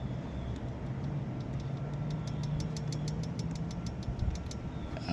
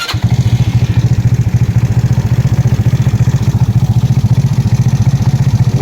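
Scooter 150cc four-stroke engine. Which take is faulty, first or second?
first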